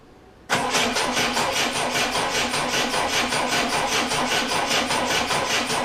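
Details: Triumph Dolomite first start attempt after refitting camshaft cover and setting static ignition timing, battery 12.9 V, starting spray into intake: starter cranks evenly about two and a half pulses a second, never catches; crank no start.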